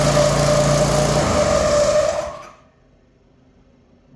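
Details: Craftsman snowblower, new belt fitted, squeal complaint, started on choke: small engine runs rough at fast idle with steady whine/squeal above it, then dies; abnormal noise suspected to be a bearing, not confirmed.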